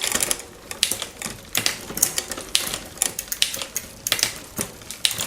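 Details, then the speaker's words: Raleigh Detour 2 bicycle after replacing the derailleur hanger and shifter and fitting a new freewheel with a larger largest cog. Crisp freewheel ticking with clean shift clicks and no chain skipping or jumping; shifting is now smooth and normal. "I mean already improved. No jumping around. Beautiful."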